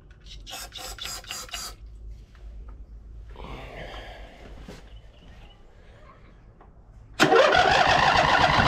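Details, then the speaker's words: 2007 White Outdoors (MTD) CT54 zero-turn with a Briggs twin that sat 3-4 years, run on a jumper pack with starting spray and the fuel pump working. After cranking and a pause it catches and holds an even roar on both cylinders, blowing rusty water from the muffler. "well fired right up after a second uh it sounded like it was running on both cylinders"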